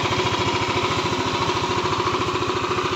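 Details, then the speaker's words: Yamaha Aerox 155 that would not start and was pushed in after other mechanics failed to find the fault, now running again: steady, even single-cylinder idle with a regular low putter, no misses; normal idle. "Ayan yan umaandar na yan."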